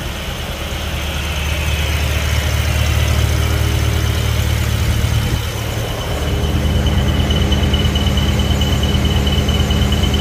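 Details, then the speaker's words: BMW E70 X5M, S63 engine, earlier UPR crankcase ventilation setup, heard from underneath at idle: a thin high squeal like a slipping belt with a faint chirp. Owner says it is not the belt but excess crankcase vacuum sucking air through the front main seal. "if you could hear the the squealing or chirping type noise from underneath the car uh it sounds like as if the belt is slipping but it's not actually the belt it's actually the crankcase sucking in air through the front main seal"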